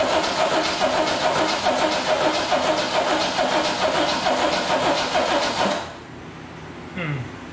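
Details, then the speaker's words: 1971 AMC Gremlin X with temporary donor engine from a 1969 Rambler American, first start attempt after install: starter grinds slowly about two pulls a second for six seconds, never catches; owner suspects a weak battery needing a tender; fuel leak found afterwards. "hmm i'm gonna have to put a battery tender on that battery"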